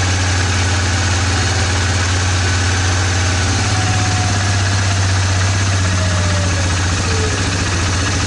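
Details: 2002 Suzuki Vinson 500 quad, which had died at idle and was hard to start, holds a steady, even single-cylinder idle with a regular thump after carb cleaning and fuel shut-off valve replacement; normal idle.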